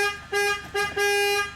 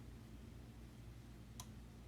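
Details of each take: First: Chrysler Town & Country after horn repair: three clear steady honks, two short and one longer, engine running; horn now working normally. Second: Chrysler Town & Country horn toggled on/off via scan tool bidirectional test: relay clicks in fuse box over quiet hum but no horn sounds; circuit good, both horns defective and to be replaced.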